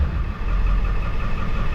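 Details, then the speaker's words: 2007 Ford F450 with swapped-in 7.3 Powerstroke diesel, check engine light on, cylinder 5 flagged by contribution test. Rough, lumpy rumble with uneven dips, very shaky when coming down off RPM, dash shaking. Misfire traced to the under valve cover harness. "The whole dash is shaking. But anyways, she's running good other than the little shake and the check engine light, you know."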